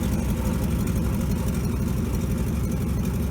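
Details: 1957 GMC 370 2-ton truck, original Pontiac 347 V8, revived after 20 years sitting, on its own tank, carburetor uncleaned (needs accelerator pump): low, even rumble holding steady idle with no tapping or stumbling; 30 oil pressure; normal idle.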